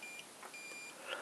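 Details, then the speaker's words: Salvaged Xiaomi M365/Ninebot-type e-scooter controller at power-on with the brake lever sensor deliberately unplugged: short high beeps, one long and five short, giving error code 15 for a brake sensor fault. "donc j'ai un grand trait et 5,5 petit bip on sait bien que c'est le code 15 cocktail à cop15 or 15 égale problème sur le capteur de froid"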